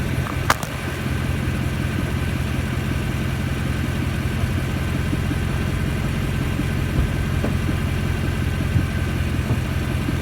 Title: Thumping noise with rev